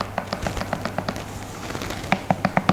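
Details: B one Hercules board during a Cloud wheel swap: sharp, evenly spaced clicks about five or six a second, getting louder toward the end, from a wheel knocking side to side on a backed-off nylock axle nut that is too loose.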